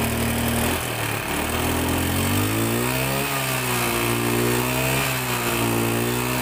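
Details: Honda Beat FI single-cylinder scooter that sputtered and died, suspected weak fuel pump; with the pump unplugged and fuel fed from a hand-pumped, pressurised IV bottle, it revs up and down cleanly with throttle, with no stumbling or misfire.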